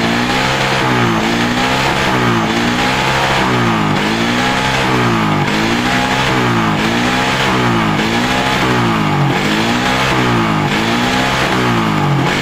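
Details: Suzuki Satria FU 150 that stuttered on throttle, after tightening a loose connector: blips about every 1.5 seconds climbing and dropping smoothly with no stutter; normal revving, stutter fixed.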